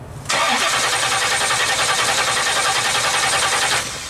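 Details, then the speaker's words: 1970 Pontiac LeMans with 455 Pontiac engine, after fuel pump failure on a 2100-mile drive, electric pump on: starter cranks evenly about three and a half turns per second for three seconds but never fires. Flooding suspected. "now the question is why won't it start did you just flood it and that's the only problem we got right now"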